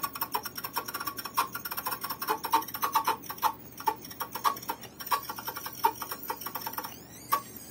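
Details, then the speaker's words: Columbia GP-17 record player, reported abnormal noise: sharp irregular ticks, about one or two a second, clicking over the music during playback; motor judged bad; faulty motor ticking. "モーターがダメですね"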